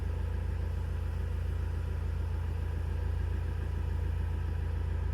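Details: 2017 Ford Transit Custom 2.0 EcoBlue diesel after a new fuel filter was fitted and the lines bled of air: steady, even low rumble at idle, about four pulses a second, no knocks or misses; normal idle.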